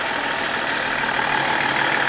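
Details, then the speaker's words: BMW 330D with VP44 pump, just restarted after cooling system rebuild (suspected head gasket or cracked oil cooler), heater on max to bleed coolant: even, steady diesel clatter at idle, no misses, knocks or hunting; healthy. "And she runs pretty good"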